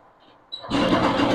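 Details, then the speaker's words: TVS XL Super/XL100 two-stroke with starting problem, after replacing the faulty reed valve plus carburetor and air filter: quiet, then a quick catch and a steady even run; starts cleanly, no problem. "Okay friends வண்டி நல்லாவே start ஆகுது ஒன்னும் பிரச்சனை இல்லை"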